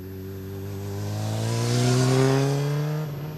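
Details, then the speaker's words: 2007 Honda CBR600RR, recently bought, drive-by exhaust demo; smooth, even exhaust tone swelling on approach and dropping in pitch as it passes, clean and steady, healthy. "but yeah I'm just going to do a quick drive by so you can hear the exhaust [Music]"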